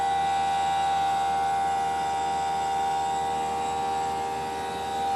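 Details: Newly installed Greenspeed heat pump running: loud, steady high-pitched whine over a low hum the whole time; noisier than it should be.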